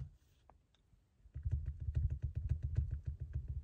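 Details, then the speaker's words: Toyota 4Runner rear rattle: irregular dry tapping a few times a second over a low rumble, caused by worn mushroom rubber stoppers leaving a gap on a panel; fixed with tape. "over time they wear out the mushroom and they just allow for a gap that Gap in return causes a noise"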